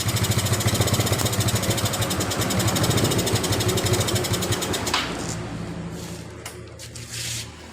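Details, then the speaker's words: Yamaha Mio Sporty scooter after repairing a dead electrical system, traced to a faulty wire connection at the ignition key switch socket, running off a used gear-oil bottle as fuel tank: quick, regular putter about two hundred beats a minute, idling normally. "Mari kita coba hidupkan kita sudah bisa hidup ya teman-teman ya di kontaknya"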